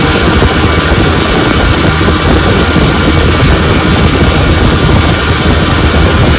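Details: 1957 Johnson 10 hp QD18 outboard after full restoration (rebuilt carburetor and magneto), lake test run on a boat: loud, steady drone with even firing, no misses, surges or knocks; normal running, zero problems.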